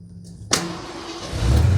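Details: 1991 Ford F-150 hot start at operating temperature after replacing original corroded ground cable (green copper, resistance in starting circuit) that caused hard dragging cranking: engine fires at once and settles into steady run; starting normally.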